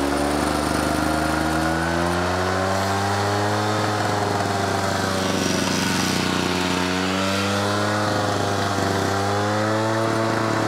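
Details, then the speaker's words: Victa edger after carburetor float and needle rework, choke set to run: small engine runs but pitch wanders up and down without throttle change, hunting; suspected fuel starvation or flooding, possibly needs new diaphragm, not confirmed. "so there is a problem with it still and that is when you put it on all the way down here on to run um it's either having a fuel starvation or a flood one or the other it sounds like it sounds like a fuel starvation to me"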